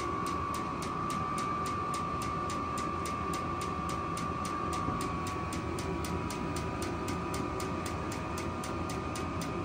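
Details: Vevor 8 kW diesel heater at startup in 39°F cold on a not fully charged battery: steady whirring hum with fast even ticking as the fuel pump runs and the fan builds speed about 2 minutes in, air not yet warm; normal startup.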